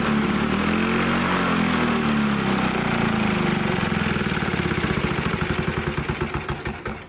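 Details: Old Lawn-Boy Loafer front mower two-stroke engine, main jet possibly plugged: fires up with a fast crackly beat, then firing slows and spreads out as the engine winds down; starts but won't keep running.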